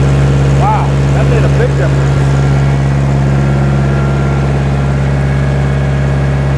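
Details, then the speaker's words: 1960 John Deere 1010 diesel after engine rebuild, smooth even idle with steady low beat, no misses or knock, after adjusting injection pump timing to cure smoking; normal running. "that is what I wanted to see that is running great so here's before adjusting that pump and here's after"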